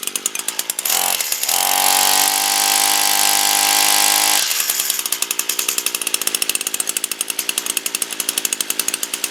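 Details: Echo string trimmer whose no-start was traced to a fouled spark plug, after priming: engine catches, screams up to full revs, then settles to a steady, even buzz at mid throttle; running clean with no misses.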